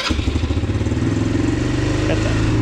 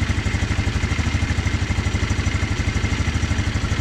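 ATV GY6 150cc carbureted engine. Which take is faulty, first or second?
first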